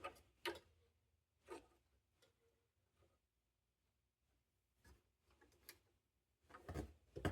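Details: 1960 GE P780 portable transistor radio on first power-up with six marginal-quality D cells, one later found dead: faint irregular ticks and crackles, about two a second, with near silence and no program audio. Weak crackling output; the radio is barely working.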